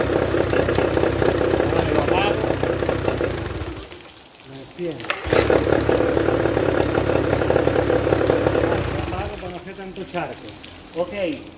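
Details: Mercury 13.5 HP two-stroke outboard, overheating despite a new impeller, run in a test tank: buzzes evenly, drops away at shutoff, restarts and settles; running cleanly.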